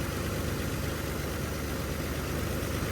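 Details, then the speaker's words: 1981 Chevy C10 square-body ranch truck idling in the yard after spark plug replacement: even, steady low rumble with no misses, stumbles or knocks; the new plugs made a noticeable improvement. "And pretty happy about that. Spark plugs did make a change."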